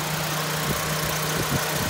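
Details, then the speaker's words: 2005 Mitsubishi Global Lancer, restarted with A/C on after the A/C low-pressure line was insulated and the fan refitted: steady, smooth low-hum idle with the compressor fan spinning, no knocks; normal. "开一下冷气，重新发动，看一下正不正常。这个压缩机风扇有在转，"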